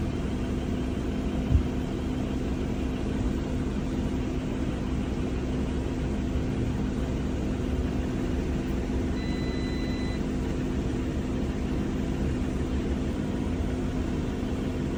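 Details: Audi Q7 supercharged V6 with cylinder 6 misfire, coil pack swapped and misfire stayed on the same cylinder: steady low idle with a slightly uneven beat; faulty spark plug is the culprit.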